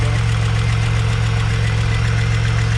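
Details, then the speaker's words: Pontiac Bonneville SSEi, new supercharged L67 with ZZP VS cam, intercooler and ported M90, first run, hot idle: faint quick tick over deep steady idle; no knocking, suspected header exhaust leak, unconfirmed; about 7-8 vacuum shown. "but the ticking is still there yeah i'm not doesn't sound like anything is like knocking no but it does actually sound like an exhaust leak"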